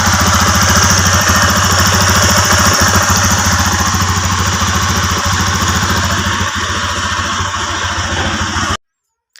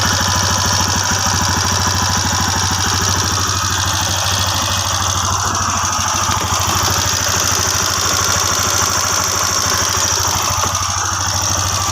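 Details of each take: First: TVS Apache RTR single-cylinder after rocker arm adjustment to fix bad engine noise; steady even idle about two hundred pulses a minute with no tapping on top; valve train healthy, normal idle. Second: TVS Apache RTR single idling: fast light metallic clatter about three ticks a second over the engine; loose rocker noise, fixed by adjusting rockers under the 17 mm rocker cover bolts.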